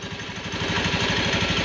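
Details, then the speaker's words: Honda Beat FI scooter after CVT repair (previously a rough helicopter-like sound from the CVT when revved): now revs with an even pulsing note, no flutter; CVT sounds clean. "suara aja bersih ya enggak ada nomornya"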